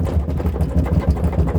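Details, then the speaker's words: Brastemp/Consul top-load washer during spin: hollow, rapid plastic rattling with dull low thuds from a cracked, broken motor guard, easily mistaken for a mechanical or transmission fault. "e você não sabe da onde é que tá vindo o barulho Às vezes você pode achar que é a mecânica Você pode achar que é o conjunto do c e não é é a proteção do motor"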